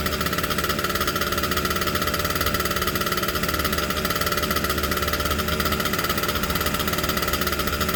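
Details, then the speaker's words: Aermacchi Z90 single with about 40 psi compression: steady, fast single-cylinder thumping on choke; dies once choke is taken off, owner thinks it is flooding itself. "so i got it outside ran on the choke i put the choke off it was rubbing up just fine died out realized i didn't turn the fuel on um so brought it back inside turn the fuel on started right up and then died out once i took the choke off"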